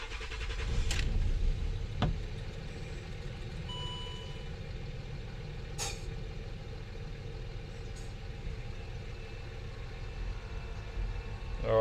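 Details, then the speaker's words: Land Rover Discovery 3 / LR3 diesel at idle, cold morning, after centre air suspension valve replacement: steady compressor hum with two sharp hisses as the exhaust valve drops air; normal air suspension compressor and valve operation, fault light gone. "You heard the exhaust valve open and drop air out. Compressor's still going."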